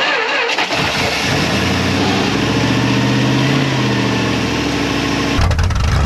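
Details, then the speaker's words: 1974 Dodge Monaco barn find parked since 1990, first start, carburetor still needing a rebuild kit: engine cranks, catches and settles into a smooth steady low rumble with no knocks or misses; sounds healthy, normal idle. "that engine sounds good and healthy if we're actually going to make this thing run and run pretty good we've got to put a kit in that carburetor"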